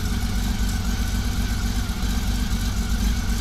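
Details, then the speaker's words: 1999 Honda Valkyrie Interstate six-cylinder after carburetor rebuild, before synchronization, no choke or enricher; steady smooth idle, earlier exhaust-leak-like sound (suspected misfire) now gone; runs cleanly. "remember before you heard like a exhaust leak that's gone now I figured that might have been a misfire"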